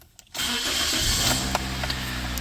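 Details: Car with MAF sensor problem, after fault codes erased and aftermarket MAF fitted (previously died immediately on start): short crank, catches at once, settles into steady even idle; clean normal start.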